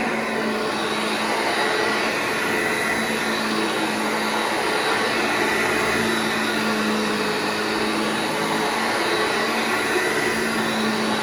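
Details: Vintage Hoover Junior 1334 vacuum cleaner after full restoration, running in a room: steady motor whine at one pitch, no rattle, scrape or surging; motor and bearings sound healthy.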